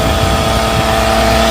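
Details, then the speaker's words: Idling car, listened via metal bar, noise worst at alternator: constant rough whirring drone and steady mid-pitched hum; worn alternator bearing, alternator to be replaced. "it sounds the worst coming from right here right on the alternator so i'm going to replace that alternator"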